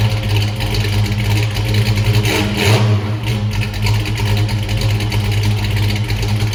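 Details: 1979 Mustang Pace Car V8, first startup, new polished Flowmaster exhaust: loud burble with loping, uneven idle and brief blip; owner says carburetor is too big, planning a Holley Sniper kit.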